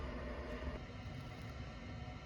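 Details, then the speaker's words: Propex HS2000 propane heater after one-flash fault (no propane flow, possibly new tank and 4000 ft elevation gain), fixed by reconnecting the line and resetting: soft steady low rumble and fan whir, no sputter, hot air; normal running. "So I think the issue was that the propane wasn't flowing. So all I did was shut off the valve, remove the line, hook the line back on, open it back up. Then I came back in here, did the reset procedure one more time. And now we have hot air coming out."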